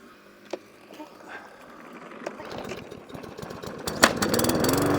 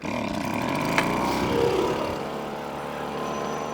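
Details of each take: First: Lawnmower engine restarted after a carburetor clean with the HT lead refitted: it catches and stays running, but pitch rises and falls every second or so, hunting and surging at idle; cause not confirmed, may need another carburetor clean or priming. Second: Winterized two-stroke machine on premix, started on choke after plenty of primer pumps: fired within three pulls, then settles into an even, rapid buzzing run without stumbling or surging; a healthy clean start.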